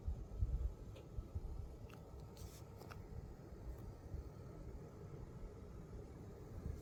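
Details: Gainward Panther RTX 4080 Super running Cyberpunk 2077 with path tracing at 4K and DLSS Balanced: steady low-tone fan hum with faint clicks and slight coil whine, a bit louder than the previous 4080 but still acceptable.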